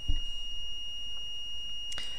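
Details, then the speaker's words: PS4 CUH-1200 series (SAC-001 board) with no disc feed: the multimeter in continuity mode gives a steady high beep at about 1 ohm across a fuse. The fuse is intact. "1 ohm dropping so that fuse is indeed intact"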